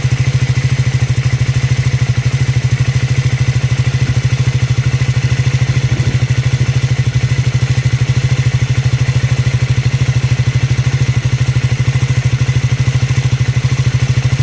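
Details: Triumph Scrambler 400X / Speed 400 single at idle: sharp, even clatter about three times a second over the exhaust beat; abnormal engine noise, cause unclear.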